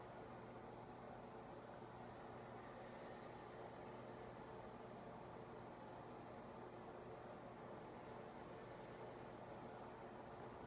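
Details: 52-inch Harbor Breeze ceiling fan from March 2004 turns very slowly with a quiet, steady low motor hum and no clicking or scraping; the run capacitor is bad.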